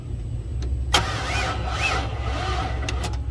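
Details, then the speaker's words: Hyster forklift with a propane 4.3 Vortec that seized after being run out of oil; refilled with 10W-30, cranked on extra service-truck amperage. The engine turns in bursts, then binds tight every turn or two; rings or bottom end is unknown. "we're spinning a little you get spin spin and then tight spin spin and then tight the question is is it rings or is it bottom end"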